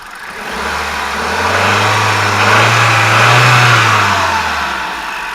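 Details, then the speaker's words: 2009 Hyundai i20 petrol engine after replacing a faulty water pump that caused engine noise: rises smoothly through a light rev and settles, even and much quieter, only a faint normal injector tick remaining. "okay guys so there's a new water pump fitted the engine so much quiet now it's unbelievable"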